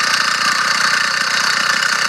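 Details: Small two-stroke motorized bicycle engine at a steady buzzy idle with a fast, tinny rattle on top throughout; the engine runs fine and strong, and something loose inside it rattles from an unknown cause.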